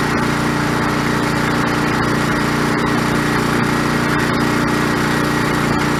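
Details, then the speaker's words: Old OHV Briggs engine on White LT1300 lawn tractor, repaired after a pop, rattle and sudden clang stop while mowing: steady single-cylinder drone while mowing, no knocks, misses or surging; normal running under load. "I guess for now I would consider this thing resurrected. Looks like she might go again for a little while longer."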